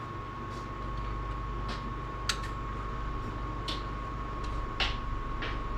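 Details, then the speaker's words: 1990 one-ton Ford Bronco project at key-on, with an added wire to the ECU ground so the pump runs continuously, priming with a couple gallons in a near-empty tank: steady faint electric hum with stray ticks; the fuel pump runs normally, described as noisy. "oh I hear it she's running she's running she's noisy"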